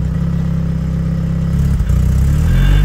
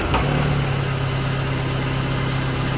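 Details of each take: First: Classic Mini towed in not starting or running properly, smoking; after valve adjustment, fuel pump work and idle mixture set, revved at standstill: pitch climbs slowly and lazily, quite a bit of smoke when revved, cause still undiagnosed. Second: Classic Mini, first start after ignition work, valve adjustment, fuel pump swap and choke correction (was towed in, wouldn't start or run): low, steady, even idle with no misses or knocks; sounds good, though it still smokes at idle.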